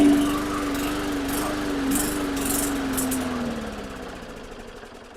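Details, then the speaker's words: Hyper Tough lawn mower, Briggs & Stratton 300E 125cc: starts with primer but runs briefly, pitch sags and dies; spark and compression present, suspected no fuel reaching the carburetor, carb cleaning planned. "I can prime it. I can get it to start, but I can't keep it"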